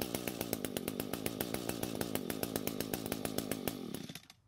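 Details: Echo GT200R two-stroke trimmer after a quarter-turn richening carb screw adjustment and purge-bulb priming: it pops along in an uneven, hunting rhythm for about four seconds, then fades and stalls. It may not have been warmed up. The cause is suspected, not confirmed.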